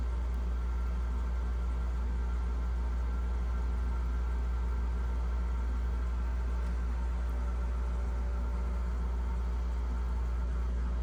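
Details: GE French door refrigerator fresh food evaporator fan after freeing seizure caused by clogged drain; steady, even low hum, no ticking, scraping or wobble; fan spinning freely, normal running.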